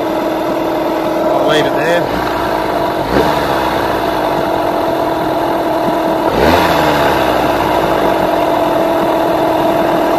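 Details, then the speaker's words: Yamaha 15hp outboard with rebuilt power head, after setting idle mixture and idle speed: two throttle blips, revs drop straight back to steady idle without hanging or hunting; mixture in its sweet spot, normal idle. "hear how it comes back and it doesn't it doesn't sit in an RPM and then drop or it doesn't go drop and then raise back up again slowly. That means this run motor is running pretty much in its sweet spot."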